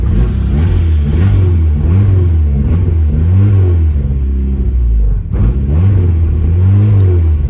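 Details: 1997 Mazda Miata started on a makeshift ignition right after a new battery was installed. The engine catches and swings through smooth rising and falling revs, settling evenly between blips, with no knocks or misses. It runs healthy.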